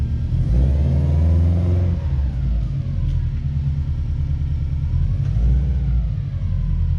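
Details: Project car flat-four with a quiet aftermarket exhaust of unknown brand revs up and settles back to a soft, muted burble. It runs clean and the exhaust stays quiet throughout.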